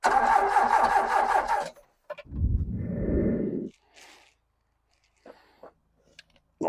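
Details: Ex-British army Bedford CF2 Ferguson 4x4, 7000 miles, parked for years, freezing cold day: even starter churn at about two and a half beats a second, never catching; turns over fine but no fuel delivered.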